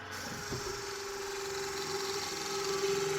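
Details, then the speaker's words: Water jet pump with 3D-printed aluminum impeller driven by an ESC-controlled motor on test: steady mid-pitched whine over a harsh raspy hiss growing louder; sounds terrible, cause unclear. "So, that should make it better and stop the sound. Oh, that's terrible."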